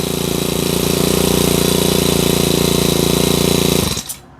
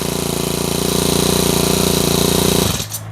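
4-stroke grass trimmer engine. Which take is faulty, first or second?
first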